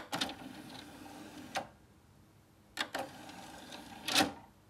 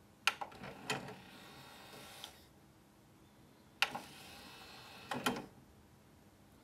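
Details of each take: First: Очень шумно. Очень шумно. А вот когда мы еще дадим ему CD, слушайте, какой звук дальше. Довольно-таки он шумный, то есть довольно-таки шумно работает сам привод. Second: Technics SL-PG490 CD player: brief motor whirr with a couple of soft clicks as the tray slides out, then quiet; a smooth, fairly quiet tray mechanism.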